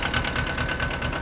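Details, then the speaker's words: Small Thai-made Yanmar tractor diesel: even clatter, roughly nine firing pulses a second, nothing uneven or knocking; normal healthy idle. "but it runs pretty good as you can hear it's pretty simple ain't all that big"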